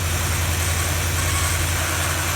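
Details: 2012 Dodge Ram that had cranked but not started because a faulty fuse box (TIPM) sent no power to a good fuel pump; with the pump fed positive power directly, it runs with a steady, even idle and smooth low rumble, no misses.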